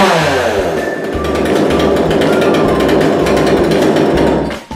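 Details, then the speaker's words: Kanto KT-CS1700 two-stroke chainsaw, after removing the black air restrictor fitted to limit power: loud buzzing engine starts easily, climbs and holds high revs without stumbling or dropping off, then eases down, running clean. "จะเห็นได้ว่าเครื่องสตาร์ทติดง่ายเร่งแล้วไม่วูบ"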